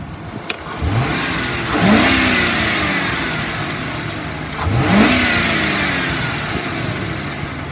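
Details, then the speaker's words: 2009 Ford Crown Victoria Police Interceptor 4.6L V8, 149,000 miles, automatic, slight ticking on passenger side: two clean blips, revs climb smoothly and drop back evenly with no misses or rattles; normal rev response. "i'll rev it up motor sounds good it revs up nice automatic transmission engages"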